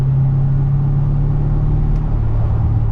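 Steady low road rumble with no clunk or metallic bang anywhere. The driveline sounds quiet and settled while driving.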